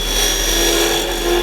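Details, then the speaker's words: Woodturning lathe cutting a tenon on super-dense end grain; pushing the tool in too far, taking almost a quarter inch of the edge, gives a harsh buzzing, ringing chatter, which stops when backing off to light cuts. "And if you start trying to go in too much, I know we're out here a little ways, but you can hear it start to chatter as it's trying to cut, you know, almost a quarter of an inch of the blade here."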